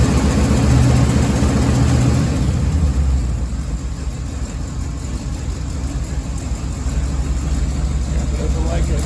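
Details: 1987 Chevy 3500 with a 454 TBI V8, one morning right after a new distributor cap and rotor replaced a cracked, corroded cap, idles roughly with a lumpy misfire from disconnected or misrouted spark plug wires.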